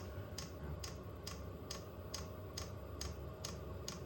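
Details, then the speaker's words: Vevor 8 kW Chinese diesel heater at first startup: quiet, sharp ticks about two per second over a low hum as the fuel pump meters; steady normal clicking, though air in the line is suspected. "A pretty steady click out of there now."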